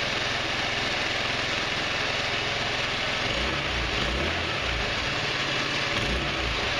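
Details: GY6 150cc Chinese retro scooter (Verano 150) after valve adjustment, on center stand, plastics off: steady four-stroke idle with no top-end tapping under the hiss; normal idle, valves properly set.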